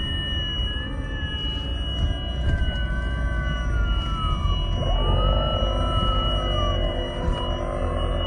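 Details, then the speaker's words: 2003 Mercedes SL55 AMG (R230): wandering whistling squeals sliding in pitch over a hum from all speakers; amplifier confirmed as source by pulling its 25 A fuse; owner suspects water intrusion and grounding causing feedback. "Okay, so all the sound, anything, all the module, all the communication is being fed into that amplifier, I'm assuming, and it's making it audible. So there's some type of, I think water has gotten where it shouldn't be, and the grounding of everything is causing all this feedback."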